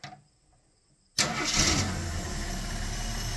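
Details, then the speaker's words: Long-dormant 1972–74 AMC Gremlin, cranked by arcing across the starter with an auxiliary wire, ignition hot: after silence it catches at once and settles into a steady, even idle with no stumble or knock. Normal start and idle. "oh and naturally there it goes that's ridiculous it's straight up idling can't make this up"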